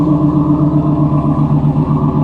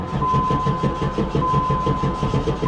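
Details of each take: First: 1994 Pontiac Firebird Trans Am, first running after refuelling an empty tank: deep, even idle with a steady low burble and no stumbles or ticks, sounding healthy. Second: 1994 Pontiac Firebird Trans Am, LT1 V8, 119,000 miles: fuel pump heard, then steady cranking at about five turns a second with an occasional weak pop but no catch. Battery dying.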